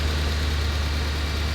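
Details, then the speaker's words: 2011 Mercedes ML63 AMG (500 hp) from salvage auction, first start: after a brief bad-sounding start, now steady, even idle with no knocks or ticks; suspected oil not reaching lifters and valves at start of crank cycle. "now it's running just fine so we we don't we're not sure what's going on here"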